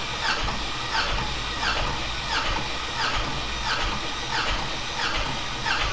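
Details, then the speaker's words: 6.2 LS engine cranked by starter during compression test, gauge in a plug hole, not meant to start: even rhythmic cranking about 1.5 beats per second; cylinder read about 200 psi. "It's going to crank it over, it's not going to start."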